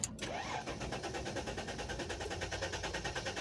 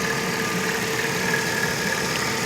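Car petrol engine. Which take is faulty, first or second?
first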